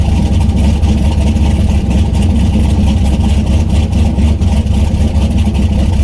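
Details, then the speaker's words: Turbo LS V8 swapped Miata on first start with the new tune and the coupler on, not yet warm, with the downpipe unfinished. Heavy V8 idle with a lumpy pulse that stumbles irregularly. Running rough; fuel pressure needs to come down, and changes are needed, cause not confirmed. "it's still running very rough but there's a few changes that need to be made"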